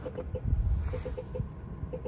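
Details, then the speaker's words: Nissan LEAF after deep-freeze cold weather test, trying to power up: short sharp ticks repeating in uneven clusters over a faint low hum; no indication inside, won't wake, cause unconfirmed. "it's trying to do something it's trying to wake up and become alive shows no indication inside the vehicle of course"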